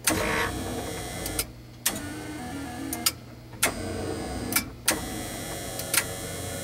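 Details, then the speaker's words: Betson claw machine running a complete cycle as the claw drops: crisp relay clicks fire in ones and pairs every second or so over a low motor hum from the relays under the label; normal, healthy relay switching. "what you're hearing are all of these relays which are underneath this label firing as needed"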